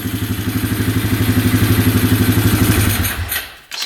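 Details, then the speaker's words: 2011 Polaris Phoenix 200cc ATV after reconnecting a missing ignition ground wire: shut off, then restarts instantly into a steady single-cylinder idle at about four pulses a second, even and unlabored, before shutting off. "so yeah now it's running great that fired right up like instantly"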